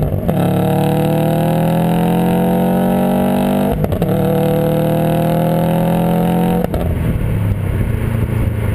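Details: 2008 Subaru STI: two full-throttle pulls with a raspy, buzzy edge heard at the rear, from an exhaust leak at the downpipe-to-catback junction, which also makes noise under the car at idle.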